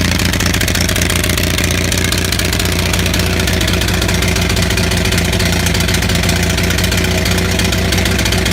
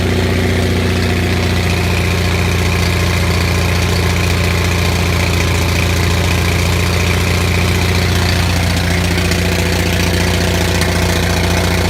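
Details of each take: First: Onan 6500 (6.5 kW) gasoline commercial generator, missing its muffler: rough uneven running with irregular pops and backfire breaking the steady beat, shaking badly; spark present, misfire traced to severely fouled spark plugs. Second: Onan 6500 (6.5 kW) gas commercial generator, missing its muffler, after cleaning severely fouled spark plugs that caused a bad misfire: steady, even drone with no misses or surging; now runs smoothly at constant speed.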